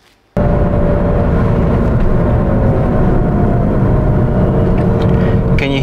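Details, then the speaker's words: Alfa Romeo GT JTS, rear wheel bearings: a steady, spacey whine over road rumble whose pitch rises and falls with speed and stops at standstill. "hear that did you hear that whining noise that spaceship sounding whining noise that comes from the back it's your wheel bearings the pitch of the noise goes up and down as the speed increases and decreases"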